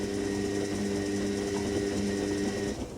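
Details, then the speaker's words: Indesit IWC71452 washing machine on program 1, Whites 90°C, 1400 spin, about 76°C: steady motor hum with rapid light rattle; owner suspects the shock absorbers, or the top hitting the back. "It is definitely coming from the shocks though. I can tell that cuz it's Yeah. Nice. Either that or the top is hitting the back of the machine."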